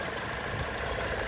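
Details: 2002 Hyundai Accent with 137,608 miles: steady idle with faint irregular tapping knock under the engine note, source unclear, possibly bottom end; coolant smell also noted.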